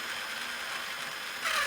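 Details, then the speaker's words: Traxxas Summit RC truck, motor refitted after light bar install: high electric motor whine turning harsher with a steady gear tone; spur gear mesh set too tight, adjusted to between too tight and too loose. "then if you hear that little sort of when you let off it's ina has that click sound I think said that it that is it getting ready to come off of the spur gear"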